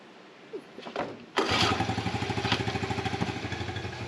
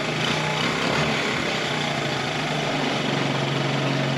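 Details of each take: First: 1984 Honda TRX70 quad revived after sitting for years in a barn, ice cold after sitting overnight: first pull catches and the small single pops quickly near three beats a second, then doesn't stay running. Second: 1984 Honda TRX70 quad revived after years in a barn, just started on choke, running on chainsaw gas: small single buzzes at a steady, clearly elevated speed without dropping back; idle set too high, mixture smells a little rich.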